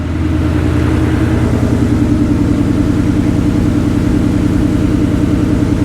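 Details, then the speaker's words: Ford Ranger after custom fuel cell and in-tank Holley Sniper EFI pump replaced noisy external pump: smooth, even idle, steady exhaust beat about two and a half pulses a second, no pump whine; sounds healthy. "Definitely way better. You can't hear the fuel pump running. That's absolutely a plus."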